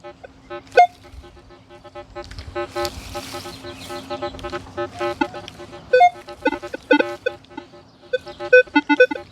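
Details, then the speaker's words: Minelab Equinox 800 metal detector in all-metal (horseshoe) mode, volume turned up, searching unfamiliar ground: sharp high blips over a low hum with low gruff grunts between them, indicating buried iron targets. "You hear the low grunts in between the little blips and stuff like that. Those are iron targets down there."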